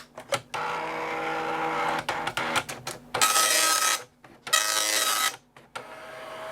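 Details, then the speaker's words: Amstrad DMP3000 dot matrix printer running diagnostic self-test after print head pins were earlier inaudible: rapid buzzing pin bursts with carriage sweeps and brief pauses between lines; printer self-test normal. "so how you can now hear you've got the print head going as"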